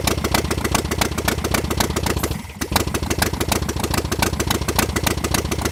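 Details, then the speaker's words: 1966 VW Beetle air-cooled flat-four on first start after sitting, with only half a muffler; uneven idle with light fast ticking over the beat. Owner suspects something loose in the top end, possibly needing a rebuild. "it sounded a little tacky a little you know it sounded like something might be loose in there you know it might be might need a little bit of a rebuild"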